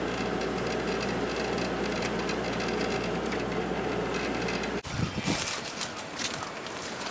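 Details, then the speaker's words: Hotpoint 8,400 BTU window air conditioner in a living room, switched from low to high fan speed. Steady airy fan rush over a low even hum, pretty quiet; running normally. "Pretty quiet."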